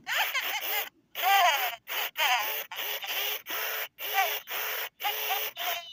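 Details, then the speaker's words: 1998/1999 Furby with a dying speaker: short voice bursts buzzy and crackly, pitch sagging and rising; speaker breaking up and will soon go mute, needing replacement. "Her speaker is slowly dying, as you can hear. And it's usually rare to get a Furby like this. You usually hear them where they're already mute. So I thought I'd show you what it sounds like when the speaker slowly starts distorting."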